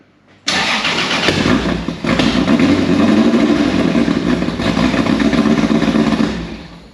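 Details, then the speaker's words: Nissan Prairie wagon (Datsun) with a 2JZ on E85, first start after the build: the E85 cold start needed patience. Brief crank, then a loud, slightly lumpy idle with steady exhaust pulses; fires and runs normally. "turns out Phil was just being impatient it's just an E85 cold start thing"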